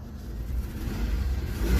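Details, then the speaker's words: 1994 Isuzu Rodeo after removing a check ball from the MAP line, in open loop heading to closed loop, with a hose clamp still leaking: revs up smoothly with a clean rising note, no pops or backfires; runs much better. Normal revving. "but it runs so much better"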